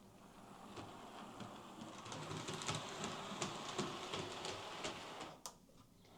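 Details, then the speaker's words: Hornby R2730 LMS Stanier Class 4P model loco on first power-up before repair, kick present even with motor disengaged, double gear checked okay: small motor whirr with rough repeating tick about three per second, most likely a split drive gear. "Yeah, from the sound that's making, I'd say that's most likely a split drive gear. All too common, sadly."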